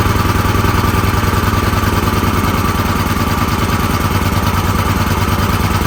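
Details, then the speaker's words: Extreme Contractor Series 6,500 W (8,500 W surge) gas generator, almost 20 years old, after long storage; first run after spark plug cleaning, air filter off, uneven lumpy pulse about eighty surges a minute. Rough running; owner plans to adjust fuel mix. "so I cut the fuel off so that was better than I was expecting honestly I didn't expect to get it out going at all but it it obviously needs some adjustment there"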